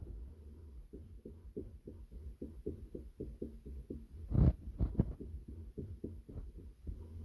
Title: Thrustmaster cog noise when turning the wheel